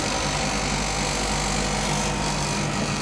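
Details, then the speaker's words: Home freeze dryer vacuum pump (~360–400 W) just switched on: steady, loud motor hum with an even low drone and hiss and no knocks or rattles. Normal vacuum pump operation. "so i will switch on the vacuum pump pump is starting"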